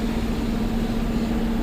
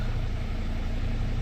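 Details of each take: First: Dodge/Mercedes Sprinter diesel van climbing a slight incline at full throttle with very limited power: steady hiss and whistle over the spooling turbo and engine drone; boost leak from a detached intercooler hose, boost pressure abnormal. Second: Dodge/Mercedes Sprinter diesel van, idling on start-up after a repair for being gutless, starting far more easily than before: steady, even low diesel rumble with no misses, knocks or hunting; healthy idle.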